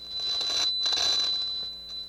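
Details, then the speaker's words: Nakamichi CR-1A cassette deck under repair: steady tone breaks into scratchy crackling bursts as the rusty balance pot is turned; corroded balance potentiometer, to be removed for service. "have a listen to this it's pretty pretty rusty balance pot is just terrible"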